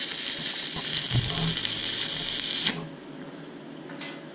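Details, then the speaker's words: YesWelder Firstess MP200 stick welding at 130 amps in 7018 mode: a steady crisp crackle and sizzle that cuts off sharply when the arc breaks, a stable, well-set weld running pretty good overall. "that was 130 amps ran maybe slightly better pretty good overall"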